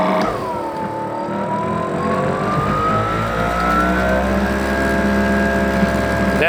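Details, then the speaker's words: New Greenworks Pro 3000 PSI electric pressure washer, first sound test indoors with the hose and water on: the motor spins up with a rising whine, then settles into a steady, quiet hum with the pump running evenly. Much quieter than gas; operating normally. "is super quiet compared to a gas one like my Troy belt. All right, this is awesome."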